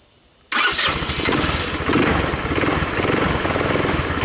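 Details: Tao Tao Bull 150 ATV after replacing the trashed carburetor: catches at once after a brief crank and settles into a steady, even idle putter without stumbling; starts and idles fine.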